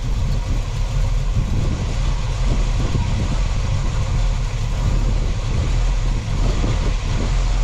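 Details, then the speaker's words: 1967 Chevy Camaro RS small block 350 V8, turbo 400, first start after sitting about a year in storage: deep steady burble settling into even idle, no knocks or misses; normal idle. "[Music] Look It Go [Music] [Applause] this sounds good"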